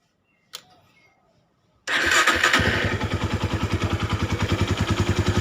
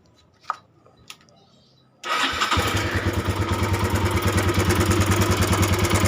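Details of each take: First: Honda Tiger at idle, clutch lever not pulled: kick-start catches into an even steady idle, no top-end ticking; idle gets smoother with clutch pulled, clutch area makes some noise when released; engine otherwise healthy. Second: Honda Tiger 200cc recently fitted with new cam chain and tensioner, idling: rough engine with steady fast metallic rattle over the firing beat; cam chain or tensioner area suspected, cam chain cover to be checked.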